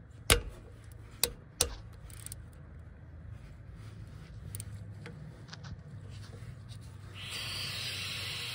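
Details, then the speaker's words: 2015 Polaris Ranger 900 XP during coolant temperature sensor replacement, engine already slightly warm: tool clicks, then a steady soft hiss as trapped air escapes from the loosened 8 mm coolant bleed screw at the back of the cylinder head, until coolant comes out. "so we're just going to let this bleed and until coolant comes out maybe you can hear it there's air coming out right now"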